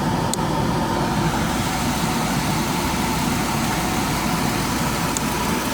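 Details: Mercedes W124 after coolant acid flush, warm idle with A/C on under load: steady idle with a faint constant whir that never changes; normal mono-belt sound.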